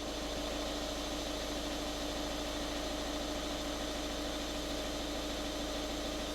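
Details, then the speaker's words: 2013 VW Caddy 1.6 diesel ticking over unrevved just after an oil and filter change, letting the oil refill the filter and galleries: even tick-over and steady hum, no knocking, rattles or hunting; normal idle. "Right, I'm just going to fire this up, let it tick over. You don't need to rev it up."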